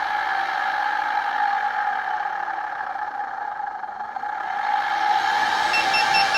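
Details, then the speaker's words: Begode Master/EX30 electric unicycle hub motor spinning freely: steady mid-pitched whir with faint rough rumble from worn bearings, less bad than the squeaking, creaking and clicking while riding. "that actually doesn't sound as bad as when I was writing it it was really bad when I mean the squeaking and creaking and clicking"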